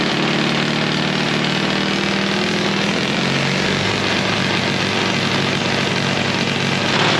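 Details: Late-1940s/1950s Caterpillar D6 cable dozer barn find, sat for years: the small pony start engine runs at a steady fast buzzy beat with a slight pitch drop, smooth, no knocking; starts and runs normally.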